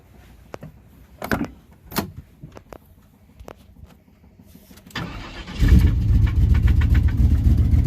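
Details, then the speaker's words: OBS truck with big-block Chevy engine swap: taps, then cranks, catches and idles with a sharp repeating knock; owner rules out lifter, pushrod and rocker, believes rod knock, possibly main bearing; cracked flexplate also questioned. Not confirmed. "That is a good old-fashioned rod knocker, possibly a main bearing."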